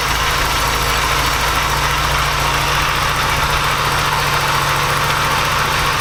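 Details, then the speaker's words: Porsche 944 after engine swap, after gasket fix and throttle cable adjustment: steady, even idle with smooth low rumble, no misses; no longer sounds like three cylinders, running healthy. "that sounds a lot better since we fix the gasket doesn't sound like it's running on three cylinders anymore"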